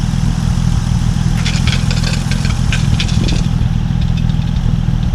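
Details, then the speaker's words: 1950 Dodge Meadowbrook engine idling, no thermostat, oil pressure 40, temp steady just under half, after electrical rewiring: steady low idle rumble with a few light clatters; runs smoothly and holds idle, normal. "Oil pressure's at 40. Uh temp is uh holding steady a little bit less than half. It sounds really good, doesn't it?"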